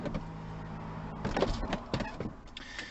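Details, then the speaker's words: Mercedes SL R230 folding hardtop closing after adjusting hidden 10mm nuts on both sides (engine running for pneumatic supply): steady motor hum, then firm clunks as the roof pulls down and latches, rubbers pulling in tight; roof closing and latching normally. "let's get it closed and you'll hear the rubbers really pulling in nice and tight if you've got it correctly correctly adjusted"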